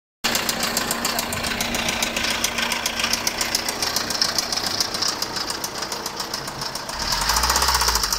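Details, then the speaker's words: Fiat 1.3 Multijet 16-valve turbo diesel van run low on oil: steady, rapid metallic knock of about three or four a second over the idle, louder when accelerating. The rod 1 bearing was found crushed and spun with excessive play, and the crankpin badly scored. "bien amigos acá tenemos el furgón Fiat que tiene ese ruido en el motor como de golpeteo"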